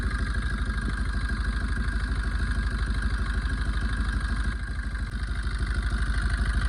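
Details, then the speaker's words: Maruti Swift engine at low idle after coolant ran dry and it overheated and boiled: humming, uneven chuff with a beat dropping out, one cylinder misfiring from a blown head gasket; coolant tank turning black from exhaust smoke. "Friends என்ஜினோட slow ஸ்பீட்லயே வந்து பாருங்க ஒரு என்ஜினோட humming sound வருது ஒரு missing ஆகுது."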